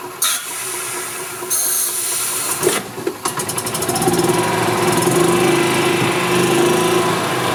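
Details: 1999 Club Car DS gas golf cart after carb cleaning, fuel pump replacement and fresh fuel: after clatter, engine catches and settles into steady, even buzz with no misses; running normally.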